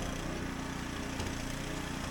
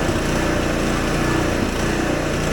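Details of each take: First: Husqvarna ST124 snowblower, 212cc single-cylinder, after cleaning the carburettor governor jet that caused surging and popping: steady even beat at governed speed while blowing snow, no surging or hunting; healthy. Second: Husqvarna ST124 24-inch snowblower, 212cc engine: loud single-cylinder running with surging and faint irregular exhaust pops; owner says factory sets it very lean.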